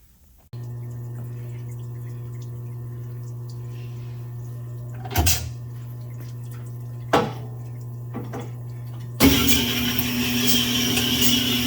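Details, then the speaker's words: Honing a rusty salvage Nissan Z24 block (D21 pickup) with 220-grit stones for a re-ring: steady hone motor hum, then harsh scraping rasp as stones bite the rusty cylinder bore. "rust is terrible you can hear it"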